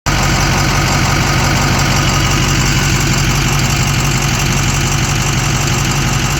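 A steady idle carries a light, quick ticking riding over the engine note, with no other noises; the source is not clear.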